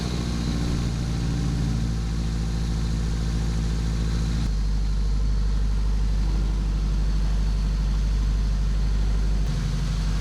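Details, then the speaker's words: Integra (FWD) idling after repairing a large exhaust leak: header front pipe cut, re-welded and refitted. Smooth, even low idle burble with no puffing or ticking from the joints; exhaust now sealed, sounds far better than before. "that took took quite some time but we got it on sounds way better than before"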